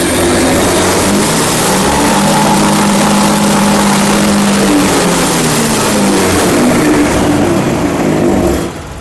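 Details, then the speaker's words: Honda Vario 110 motorcycle, engine running during TPS check with scan tool: pitch climbs and holds steady at full throttle without sagging or hesitation, then settles cleanly; TPS reading normal; normal throttle response. "di sini terbukti bahwa pada saat throttle kita tarik penuh atau gas kita tarik penuh sudah putaran mesin sudah mengikuti dan tidak turun kembali atau tidak ada debut lagi."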